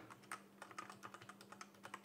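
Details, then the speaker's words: MageGee 60% mechanical keyboard, slight flex, stiff springy switches: quick uneven key clacks with a faint metallic ping after each stroke. Owner unsure whether switches or body cause the ringing, suspects the springs. "I don't know if it's the switches or the body that's making it make that ringing"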